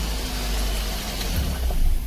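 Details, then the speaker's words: Daihatsu Dabbab after cleaning the electronic throttle body and adjusting the throttle plate to fix a high, rough idle: steady, even low rumble with no hunting, rising slightly at the end; normal idle. "देखि आवाज सही हो गया है"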